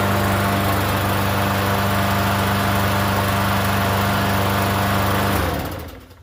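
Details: Free Yard Machines 21-inch self-propelled mower, primer-style engine about 10 years old, unused for over a year: fast fairly even buzz for about five seconds, then winds down and stops; runs fine once primed.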